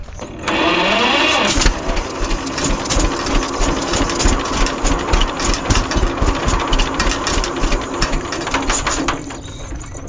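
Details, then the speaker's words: 1946 John Deere BN tractor fires on starting fluid with ragged, uneven firing, then fades and dies; carburetor overflows despite good fuel flow from the tank because the float is stuck, so the engine can't keep running. "Well guys, I think that's all I'm gonna get out of it in this condition. I just can't keep it running because of that carburetor."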